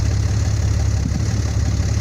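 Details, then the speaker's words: Dodge Cummins 5500 diesel after alternator replacement, new alternator making nearly 15 volts and charging batteries: steady, even low idle rumble with no knocks or hunting; healthy. "it's just working on charging the batteries now"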